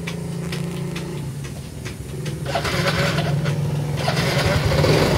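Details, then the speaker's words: Yamaha Mio i 125 that would start briefly then die and misfire; a new spark plug didn't help, and the fuel pump was delivering very little fuel. After the fuel pump was serviced and refitted, the engine catches and settles into a steady, normal idle. "Ayan na mga boss umaandar na siya. Kanina hindi to umaandar mga boss. Aandar lang konti tapos mamamatay. Ayan ngayan umaandar na siya."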